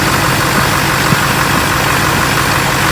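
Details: LLY Duramax truck just restarted after replacing both thermostats and rerouting the PCV: steady diesel clatter at an even idle with no knocks, misses or surging; normal idle.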